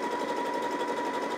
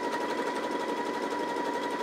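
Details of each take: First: Janome JW8100 sewing machine after rethreading and removing a leftover bobbin thread strand: steady, even whirr with constant pitch and no catches or thumps; stitching smoothly, earlier mess was operator error. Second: New Janome JW8100 sewing machine on maximum 7 mm zigzag at 1 mm stitch length: fast needle chatter over steady whine with wavering roughness in waves; lower bobbin thread fault, a stray strand snagging at the bobbin.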